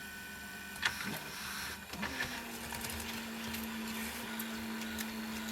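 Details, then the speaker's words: National/Panasonic NV850 VCR after a belt kit replacement: a few sharp clicks and clatter, then a thin steady whirring drone as the transport starts, stops and crunches the tape; a tension issue is suspected. "it stops IT gu a little bit and then stops every time few find noises but goes and then stops something must be getting up tension or something"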